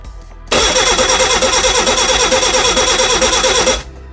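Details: Reliant Regal Supervan 3 engine on the workbench, first start attempt. The starter spins at a steady even beat for about three seconds without a single firing; crank, no start.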